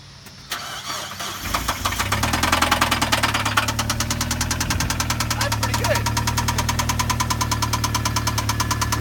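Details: Mazda Miata engine starts and idles with a steady, hard knocking that keeps pace with engine speed: rod knock; an entire rod bearing had disappeared.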